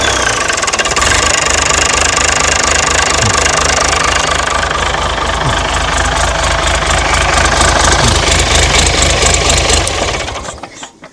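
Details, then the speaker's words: Mystery old six-cylinder Perkins turbo diesel from a farm, no history, second start test: catches at once and settles into an even, steady clatter near 220 beats a minute before shutting down; healthy start and idle. "We'll try it again. See how See how easy it starts. [Music] Pretty good."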